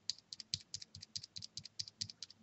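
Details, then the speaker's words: Cherry MX Silent keyboard switch held in the turned-around orientation gives sharp, high-pitched paired ticks; it is silent the normal way. Later fixed with switch films. "when you press the MX eyelid switch and hold it like this it's silent but if you turn it around like this"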